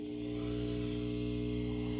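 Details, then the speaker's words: Velodyne HGS-18 subwoofer plate amp driving an 8-ohm test speaker. A steady low buzzy hum starts slightly delayed after power-up; it sounds like 120 Hz, suspected unbalanced or unshielded audio line hum, source not yet found. "just like rck said so that sounds more like 120 hertz uh it actually sounds like unshielded audio cable or what they call unbalanced line hum"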